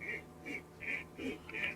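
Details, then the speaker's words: Bicycle shift/brake cable sliding in a housing whose unfaced, frayed end has a spring-like coil poking inward: short scratchy squeaks about twice a second from the cable snagging; fix is squaring the housing end and clearing the burr with an awl. "소리가 나요. 굉장히 부드럽게 얘네들이 작동을 해야 되는데 여기에서 간섭이 생겨버리는 거예요."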